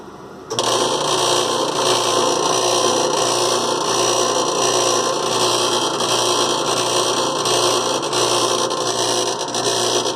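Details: Loud, harsh, continuous rattle during all washer cycles, never easing; agitator works fine; heard just after replacing the tub bearing and seals; something loose or rubbing, source not pinned down.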